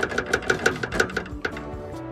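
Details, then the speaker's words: 2017 VW MK7 GTI, exhaust stressed after rear muffler removed: quick metallic clinks, about six taps, as bracket near downpipe is rocked by hand; rattle from loose exhaust bracket with backed-out bolts. "i'm thinking that the noise is coming from this bracket here and when i push up and down on this see that's the noise i'm getting look at this these bolts have worked themself out"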